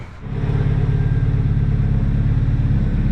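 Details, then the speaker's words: Nissan 240SX: engine catches and settles into a steady, even low idle, no misses or hunting, AFR about 14.9–15 at idle. Normal idle. "it might have been the mass airflow sensor bro it's idling a lot better it sounds more familiar than it usually has"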